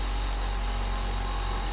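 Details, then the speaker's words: Blademaster skate sharpener, 1980 E6 induction motor (3.8 A, about 1/3–1/4 hp) with run and start windings; the start winding disconnects once the rotor is up to speed. Steady constant-pitch electric hum, no clicks or rubbing: healthy at full speed. "So it's got, in the stator of this induction motor, there's a run and a start winding. And the start winding is engaged until the rotor armature is up enough speed to where it pushes on it and disconnects it."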